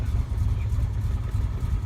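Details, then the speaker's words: Rusty 1987 Alfa Romeo Milano 75 2.5 V6 just started: deep, lumpy, stumbling idle, rough only at idle; sounds like an exhaust leak, with something rattling underneath. "can hear how rough how rough she is but that's only at idol sounds like there's an exhaust leak something's rattling under there"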